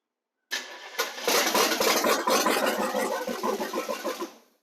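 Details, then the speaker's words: El Camino running choppy and uneven with stumbling beats before dying away, after first getting it running. Timing seemed off; the firing order was found wrong and the plug wires were later switched. "We were hanging out at the lake the day after we got this thing running, and Dad realized that his firing order was off."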